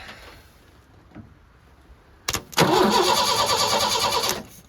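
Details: 1986 Ford F-150 inline-six farm truck, long unused, after cleaning a battery terminal: the starter churns steadily for about two seconds and the engine never catches; crank no-start with no spark, plug wiring being checked.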